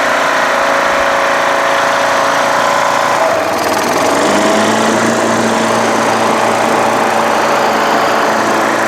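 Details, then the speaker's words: Craftsman LTS1500 lawn tractor with rebuilt 17.5 HP Briggs OHV single-cylinder made from two blown engines, full oil, valve lash redone, PTO engaged: smooth even drone, note drops slightly as deck load comes on, then holds steady, no knocks or vibration; healthy. "absolutely perfect PTO works great more deck seems to work great no vibrations engine seems fantastic"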